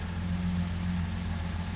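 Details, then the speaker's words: 1975 Jaguar XJ6 after a fresh oil change. Start-up as the oil pressure light goes out and pressure builds. Steady low, even idle hum with no knocks or ticks. No leaks, and it runs as well as before. "Let's fire it up. Looking for the oil pressure light there to go out and for it to build some pressure."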